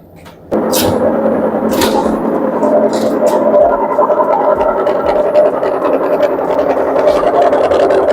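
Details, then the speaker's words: Candy RapidÓ front-loader washer-dryer on the spin cycle, not increasing RPM: loud, rough roar with uneven rattling from failed drum bearings and tub seal. "It's very bad voice, very loud noise from the machine. That's been already bearing gone."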